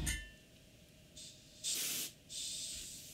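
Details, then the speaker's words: Airbrush air valve unscrewed too far: short sharp hissing bursts on each trigger press as air escapes out the top instead of the front; tighten slightly, air should only be heard at the nozzle. "hear it's coming out of here coming out the top it's coming out of air it's not coming out in the front and again tighten slightly the only place you should hear air is this sound if you're hearing it from here or in here then there's a problem"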